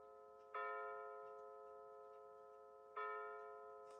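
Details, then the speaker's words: Bulova C3542 battery wall chiming clock with new chime batteries, pendulum out, set to 9:19 PM to strike 9 times: clean, bright strikes about every two and a half seconds, each ringing and fading evenly; the hour strike works properly. "Currently, I'm looking at the clock, it's 9:19. And now it will chime 9 times."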